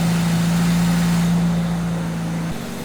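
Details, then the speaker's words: 1982 Pontiac Firebird first run after sitting 25 years: loud, steady fast idle around 1,800 rpm while warming up, slowly coming down. A sticking idle air control valve is suspected. "But um the idle is slowly slowly coming down. And I've actually had a few of these 25s before. And usually when the idle is so high, it's the um idle air control valve."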